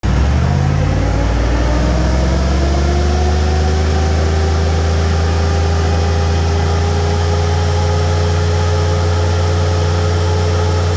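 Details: 4L60E automatic transmission, engine idling: bubbly gurgle with faint rising whine caused by low transmission fluid.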